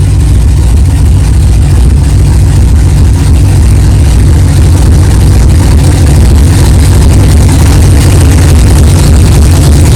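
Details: 1964 Chevelle 383 stroker V8 at first fire-up after an 8-month build, not yet warmed up, 11° timing, 63 lb oil pressure: deep, steady, smooth idle rumble, no knocking or clatter; good oil pressure, healthy normal idle.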